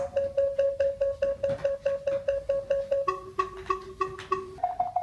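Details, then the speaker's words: FenSens wireless Bluetooth parking sensor approaching a wall: even mid-pitch beeps about three a second, then a two-tone pattern and a higher tone as the obstacle nears; responding properly. "It's beeping, and when I get closer to my wall, thank you. It definitely works."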